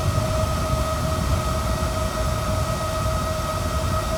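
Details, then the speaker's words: Stock RV refrigerator vent cooling fan, triggered with a heat gun. A steady, loud, mid-pitched whirring whine that never varies; lifting the fan makes it somewhat quieter but it is still really loud. "that's what this pound sounds like it is and I can lift it up it does get quieter but it's still really loud"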